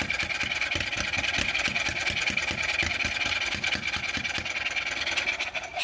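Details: Kawasaki engine in a golf cart cranking steadily at about two and a half turns a second without firing, tried both with and without choke; cranks but won't start.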